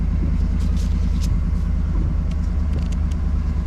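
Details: Car over 100k miles idling just after mass airflow sensor cleaning, following a slightly weak start: deep, steady, even rumble with no misses or stumbles, no check engine light; engine idles smoothly and sounds healthy.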